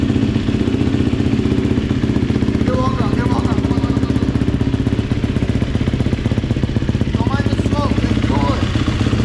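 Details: GasGas dirt bike, first start after top-end rebuild: fast, even popping about four beats a second, crisp exhaust, no rattles; normal running.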